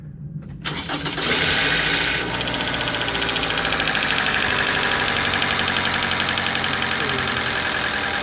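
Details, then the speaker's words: Engine after a new sensor was installed, in gear: it catches, then a fast metallic chatter of about four ticks per second rides over the idle; the same fault persists and it sounds terrible. Finding: loose timing chain rattle. "It ain't dying, but it's still doing the same thing. It sounds terrible."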